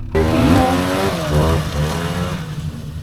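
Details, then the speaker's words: Snowmobile after its never-before-replaced spark plugs were changed, once clogged plugs were suspected: a crisp two-stroke rev rises cleanly and falls back with no stumbling or misfire. It now sounds the way it is supposed to; normal running. "oh yeah the one I drove yeah they all come with new spark plugs that's what it's supposed to sound like"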